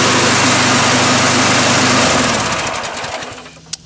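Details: Snapper 6.5 hp lawnmower after a makeshift cable fix, high buzzy single-cylinder drone runs steady, then winds down evenly when shut off by pulling a pin; the mower runs fine.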